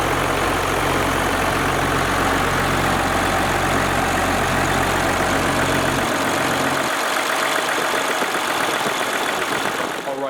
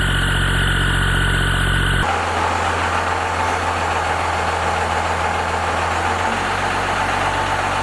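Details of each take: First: First-gen 12-valve Cummins diesel after valve lash adjustment, valve covers off: steady, even idle with light uniform valve patter and no knocking, then winds down; normal idle, valves much quieter than before. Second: First-gen 12-valve Cummins diesel, before valve adjustment: rough idle with loose, clattery tapping over the knock throughout; valves out of adjustment with excessive lash.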